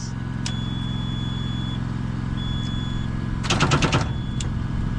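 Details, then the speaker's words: Abandoned Kenworth C500 off-highway truck, battery charged about 20 minutes by welder, about 12 volts; slow heavy cranking about three pulses a second with brief clatter, never catches; won't start without welder connected; slow cranking, no start. "all right we need a little bit more time she's still uh clunking okay so it doesn't seem to want to start without the welder hooked up"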